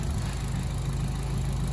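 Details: Mitsubishi Colt CZT Ralliart after fitting a custom Dynodaze exhaust manifold: low, steady, even idle with no knocks or ticks; a smooth, healthy tick-over. Normal idle.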